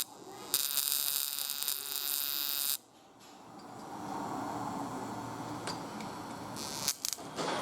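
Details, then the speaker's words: 1998 Chevy pickup with misfire on cylinder 2 despite new plugs and wires: harsh buzzing crackle about two seconds as spark jumps across burnt path inside distributor cap to next terminal; cap crossfire arcing. "so we can see you inside so that spark level jump right from one corner right over to the next player"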